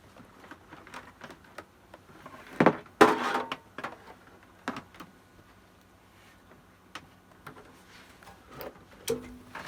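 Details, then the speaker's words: APC Smart-UPS 1500 with new batteries, mains reconnected after full power-off: sharp relay clicks, then a faint steady whistle and low hum as it charges normally. "so i just heard it clicking and now it's doing that little whistling noise and humming to charge the batteries"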